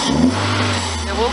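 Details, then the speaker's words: 1999 Toyota Celica ZZT231 with new pod air filter, short rev: open intake whoosh, pitch climbs and drops cleanly without misses or knocks; engine healthy. "like the engine lights this filter so that's all good then"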